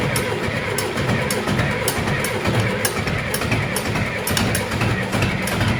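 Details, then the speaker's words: John Deere 2510 diesel tractor with no cold-start assist, cranking at about 24°F in snow to warm the block. Slow, even cranking beats about twice a second without firing yet: hard cold start. "basically we just need to get a little warmth into that block from cranking and once we do it'll fire it right over I'm pretty sure"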